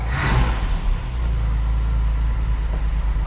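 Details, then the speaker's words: 45-year-old 2.8-litre Vauxhall Royale coupe, testing a new homemade accelerator cable: a quick blip of revs drops straight back to a steady low idle without hanging up. The throttle returns properly and is not held open. "Right, let's make sure that the accelerator's revving nicely and it's not holding the throttle open. Come on, starter, you're getting boring now. Yep, that's not holding the idle speed up."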